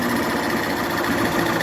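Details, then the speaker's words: Honda Fan 125 2011 motorcycle after rebuild of head, cylinder and piston worn from running without oil: fast, even patter with no knocks, the engine noise is gone and it idles quietly. "Mas ó que o motor silencioso eu vou tampar o escapamento o motor silencioso motinha montada galera"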